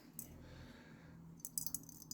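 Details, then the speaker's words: Ruston Hornsby PB engine brass float being re-soldered, water bubble test shows no leaks: quiet, then sharp tinny rattles in short bursts as the float is shaken; a loose bit of solder trapped inside. "Yep, and you can just hear that bit of solder rattling, so it's not as if that's hot air and actually drawing the water in, it isn't."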